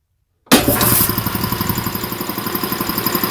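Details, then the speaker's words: Champion VR5-8 80-gallon vertical air compressor, oil changed a couple times: motor kicks on and pump settles into an even, steady thumping about six per second with no knocks or rattles; healthy. "that's the setup it's been running great changed oil a couple times no problems at all um i'm gonna turn it on here and let y'all hear it"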